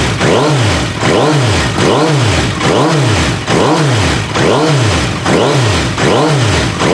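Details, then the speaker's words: Suzuki Bandit 1250 FA with 62,000 miles, stage one tune (snorkel removed, secondary butterflies retained), repaired slip-on exhaust, fresh oil: four-cylinder blipped repeatedly, revving up and dropping back cleanly through loud sporty exhaust, idle with no clicks or clatter; healthy engine. "Keep in mind this bike has 62,000 miles on it. Listen to that idle. Not one click, not one clatter or nothing."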